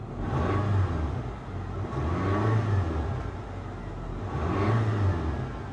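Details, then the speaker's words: Salvage-auction V8 BMW X5 that was misfiring earlier, now running smoothly with no misfire: engine revs up and settles in repeated even sweeps with no stumbles. A battery light and a flashing airbag light are on. "listen how smooth she's running now listen to this"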